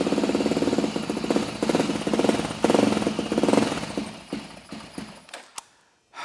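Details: Honda TRX400EX single-cylinder ATV, first start after top end rebuild: fires and settles into a steady, even idle with a few throttle blips before shutting off; normal idle, break-in to follow.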